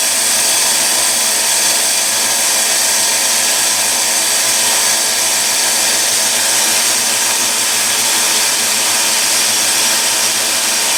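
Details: Delta 1-inch belt sander with a quarter-horsepower motor, after a repair for high-pitched screaming: an even, high-pitched hum held steady with no whine or roughness. Normal running after the fix.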